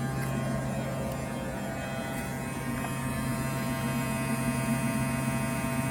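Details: Tesla Model 3 on a hot day: steady low fixed-pitch buzzing hum that stops when the AC stops; air vent checked with no leaves found, cause unknown; air conditioning buzzing hum.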